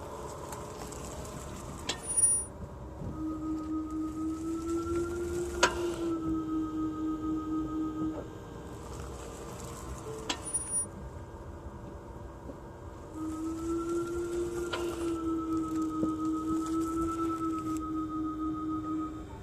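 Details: Tesla Model Y at about 1500 km, braking after switching between D and R: single sharp knock once per direction over a low hum; brake pad loose in caliper, confirmed by service and fixed by pad replacement.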